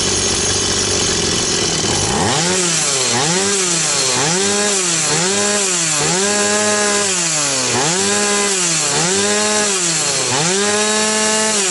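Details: Stihl 180 chainsaw after piston and crankshaft seal replacement, carburetor not yet disassembled; revs up and pulls down about once a second with a clean, even note, no misfires or rattle — running healthy.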